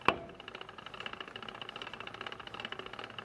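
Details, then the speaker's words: Jeep Gladiator Dana 44 front axle after new U-joint install, hub bolts torqued 75 ft-lb and axle nut 100 ft-lb: after a sharp knock, light rapid ticking about ten a second as the front wheel spins; cause still unknown. "Unbelievable. Still ticking."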